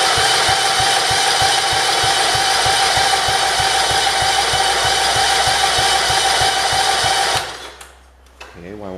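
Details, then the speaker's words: 1968 John Deere 110 garden tractor, first start after an engine install, fuel pump confirmed pumping: steady starter churn with even compression beats about three a second for seven seconds, never catches; owner suspects idle set low and the throttle won't move. "it start that's very weird here we go oh maybe that idol might be a little bit low let me idle it"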